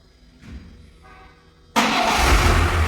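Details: VAZ 2107 after electrical rework, gas (LPG) system removed and rewired to run on petrol with injector wiring; previously stalled with shaking revs: near silence, then fires at once into a loud, even run; normal start.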